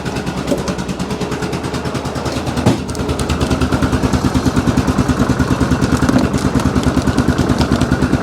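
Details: 2002 Yamaha Grizzly 660 single-cylinder ATV, first run after sitting 8 years, still cold with idle turned up slightly: even, steady thump with no knocks or misses; normal, healthy idle, to be heat-cycled.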